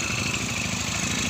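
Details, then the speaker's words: Yamaha Mio MXI 125 after overhaul with Repsol oil, air filter off: steady, even idle with a smooth quick beat, no knocks or rattles; earlier noise gone, normal idle. "Ayan, so goods na siya. Wala na yung ingay"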